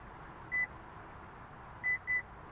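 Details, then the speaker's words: 2024–2026 Lexus GX 550 power back door kick sensor: a single short chirp, then two quick beeps about a quarter second apart, meaning the system cancelled the operation; just kick forward and step back after the first beep. "that means the system has cancelled the operation so there's no need to hold your foot or move it side to side"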